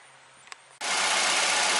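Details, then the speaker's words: 1998 Ford Escort after rebuilt head installed for intake valve seat failure: engine catches at once and settles into an even steady run, no knocks or misses, no leaks; normal start. "we got a run in it's pretty good no leaks things real pretty smooth"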